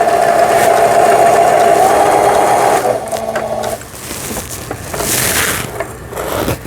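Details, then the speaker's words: Old 220V-only Singer 7422 household sewing machine, after repair of a faulty upper-thread tension dial unit, sewing an overlock pattern: even fast needle chatter with steady motor tone about three seconds, then stops; normal overlock stitching. "바와 같이 옷감의 가장자리가 풀리지 않도록 해주는 이런 바느질까지 잘 나옵니다."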